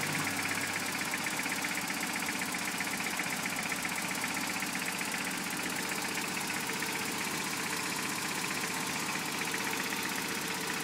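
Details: Freshly rebuilt Toyota 22RE petrol engine idling with a steady, fairly even knock about four beats a second; cause unknown.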